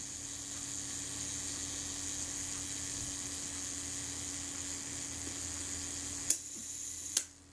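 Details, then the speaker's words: Kodak Retina Reflex S / Voigtlander Bessamatic M shutter after cleaning the gear train and self-timer; steady high whirr runs smoothly for six seconds, then two crisp snaps as the shutter fires; self-timer runs down properly. "we've set the self-timer release the shutter you hear the self-timer runs down nicely"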